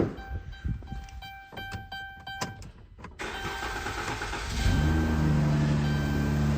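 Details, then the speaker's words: 2015 Dodge Grand Caravan 3.6 L with prior P0303 misfire and P219A, after swapping coils 1 and 3, intake refitted: chimes, brief crank, steady even idle, sounds smoother, zero misfires. "off the bat personally feel that it sounds smoother here's to be running better"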